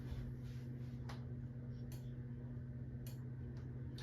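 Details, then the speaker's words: 1980s Supreme Mark VI ceiling fan on straight high, starting to wobble (owner thinks one iron is warped): faint, uneven ticks over a steady motor hum; owner suspects a loose or poorly cut zip tie in the motor, not yet confirmed. "It's going a lot faster in person than it does on the camera. I'm sure you can hear the ticking sound."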